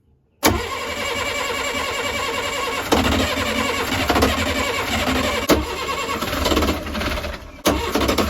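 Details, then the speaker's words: Perkins 40 hp saltwater-cooled marine diesel, first start after a couple of years, after an earlier backfire through the intake: it catches after a short crank and settles into a steady diesel clatter with rises on throttle; running properly. "if that stabilizes if that temperature stabilizes there then um you're in business yeah yeah yeah you're you're running"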